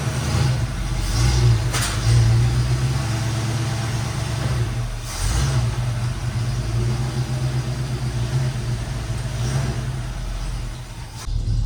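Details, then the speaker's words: 1973 Chevrolet K5 Blazer, bought with a broken motor and now repaired, on a test drive: deep, steady V8 rumble through gentle revs and lifts, smooth and even; normal running engine. "so I want to show you guys today what a running K5 looks like"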